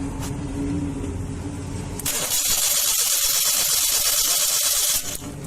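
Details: Maruti 800 petrol engine cranks with an uneven, hissy churn about three beats a second and struggles to start; starting, pickup and misfire problem suspected from ignition coil failure, not confirmed.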